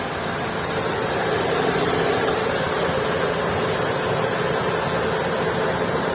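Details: Maruti Suzuki Swift 2022 at idle: steady heavy rumble with a constant mid-pitched hum, no distinct tapping; engine sounds abnormally loud and heavy.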